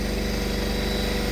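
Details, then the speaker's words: Risler V975 TMR mixer, about 2,700 hours, just serviced with gearbox oil added: small petrol engine holding a steady, even beat at raised revs while unloading feed into the bunk, running nicely with no misses or knocks. "it's running really nice"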